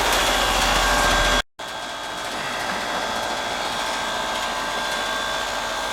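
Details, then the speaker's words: Heat pump, previously out of refrigerant from a rotted liquid line drier, now replaced and relocated, running in heat mode on a cold day: steady fan rush and faint hum after a brief cutout; suction pressure almost 61, going in about 110, acceptable normal running. "I'm going in about 110, that ain't so bad. Suction pressure is about almost 61. It's acceptable."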